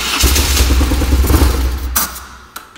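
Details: BMW S1100RS boxer motorcycle with rough running and stalling, after throttle position sensor adjustment: catches quickly and settles into a steady even beat before dying away; fuelling sounds right and the start is clean.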